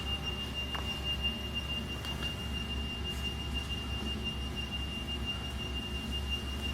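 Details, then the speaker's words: Bedini monopole circuit with an untuned coil and a resistor attached: a thin, piercing steady whistle around 3 kHz over a low hum, coming from the coil as it oscillates. "But you can see here that it's in oscillation right now. Where's that noise coming from? That's coming from this coil."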